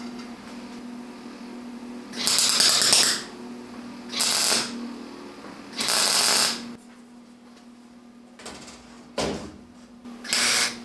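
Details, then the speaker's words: Butt welding a 1965 Mustang quarter panel with a simple four-heat-setting welder dropped to setting two, wire speed adjusted: short harsh crackling, popping arc bursts instead of a smooth sizzle; welder suspects leftover lead on the panel giving poor connection. "i don't know if you can hear that sizzling noise whenever i'm welding this i feel like some of the lead maybe is still on this section of the panel wasn't cleaned off all the way and there's just not a good connection"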